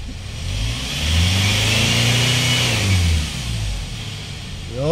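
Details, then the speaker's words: Hyundai Starex diesel, recently overhauled after overheating, after replacing the fuel injector: revs up smoothly and settles back with an even beat, fuel knock and vibration gone. "Napalitan na natin ng fuel injector mga boss So ngayon itesting nating kung maririnig pa rin natin yung ingay kanina reol natin mga bossing o wala na yung fuel"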